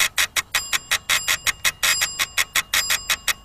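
Sharp buzzy bursts roughly five or six a second, evenly paced with a hiss between them; ignition sparks are getting into the radio.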